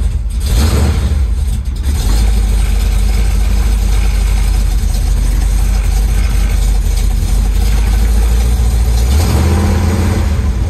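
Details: 1973 Chevy Nova V8, EFI replaced by a Street Demon 750 carburetor, cold start after sitting a few days: deep loud rumble with an uneven lumpy beat; rough cold idle, cause not pinned down.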